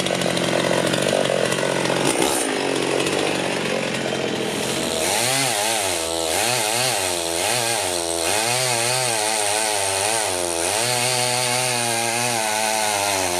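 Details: Rebuilt Husqvarna 51 chainsaw after carb tuning (it had seemed a bit rich), cutting a tree: a high two-stroke wail that drops and recovers as the chain bites, clean and crisp. Runs well; owner unsure the bar oiler is delivering enough oil.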